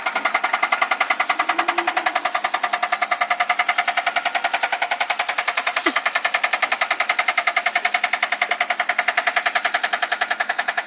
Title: Rod knock